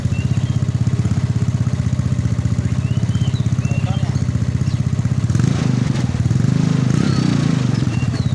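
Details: Yamaha Mio scooter after an engine rebuild for weak compression, no idle, knocking and smoke from a scored bore: a steady, low single-cylinder putter at about four beats a second, even and smooth with a slight rise near the end; running fine.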